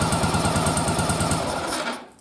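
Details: Yamaha XV920 V-twin at running idle after a bench sync, old carbs and engine needing a running sync; lumpy, pulsing idle thumping about eight times a second before fading, carburetors out of sync, checked with gauges, bottle and loop-tube manometers.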